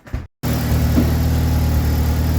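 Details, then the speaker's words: 1988 Jeep YJ revived after years abandoned, antifreeze in the radiator, just started to warm up: steady low idle with even rumble after a brief start-up cut, no knocks or squeals; charging and not too noisy, normal idle. "well it's charging that's one good thing it's not making too too much noise which is another good thing"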